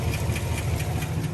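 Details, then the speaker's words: 2021 Chevy Silverado LT Trail Boss 6.2 V8 at about 5,177 miles, no check engine light: deep, lumpy idle with a faint quick tick about four or five times a second. Owner suspects a dropped lifter; the truck is going back to the dealership. "back off oh my gosh did y'all hear that 5 000 miles oh my gosh this has got to be a prank oh yeah that is not good that is not that ain't good"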